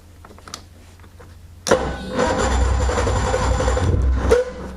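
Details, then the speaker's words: Cold start of a two-stroke snowmobile (sled) with the throttle held: after a quiet lead-in it catches abruptly with a rough, uneven rattle that never settles, then drops away. It needs more choke. "almost I guess we still need some choke almost here we still need choke I don't even know how to start this thing"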